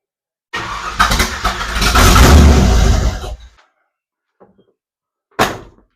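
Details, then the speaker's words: 1967 Ford Falcon with swapped 302 V8 and C4, first start on starting fluid with throttle linkage unfinished: starter cranks, engine roars about three seconds then dies; fuel line not yet primed. "I'm just going to squirt some starting fluid in it. Hopefully it'll suck up enough gas to get the gas line primed and up into my fuel filter."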